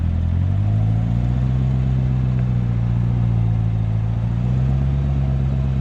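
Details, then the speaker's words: Corvette ZR1 (C7) after a wheel-noise issue, driven at parking-lot speed through full-lock turns; low steady engine hum with no clicking or ticking from the wheels, though owner says it could be temporary; normal wheel hub. "so yeah it doesn't seem like it's making any noise now this could be temporary i will let you guys know for sure"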